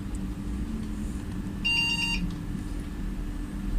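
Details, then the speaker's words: Desktop PC being repaired from dead, power supply working, VGA connected: one short clear high beep over steady fan hum at power-on; single POST beep, meaning unknown, then boots with mouse/keyboard-not-found errors. "பாருங்கள், sound இருக்கு, work ஆகுது."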